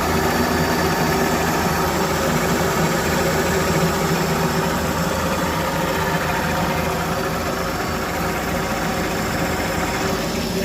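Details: Test run after rebuild, engine warming with power steering working; even, steady idle with smooth low rumble and no misses or knocks, though owner notes it still cuts out at tick over with no idle control valve fitted.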